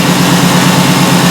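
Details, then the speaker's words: Ford E350 5.4L V8 van (2010–2014 era) at idle after clearing codes, during a scanner powertrain misfire test: steady, even low drone with no stumbles. The misfire counts that were jumping before no longer appear, so the idle is normal. "Okay, let's see the idle. Anything else? I don't see enemy fire right now."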